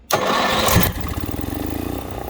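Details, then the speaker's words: Onan 4KY 4000-watt RV generator in a Jayco Greyhawk Class C, after a new carburetor and fuel line and priming the fuel pump. A brief crank catches almost immediately and settles to an even idle with little surging; a healthy start after the repair. "Well, that started up a little bit nicer that time, didn't you? Wouldn't you think?"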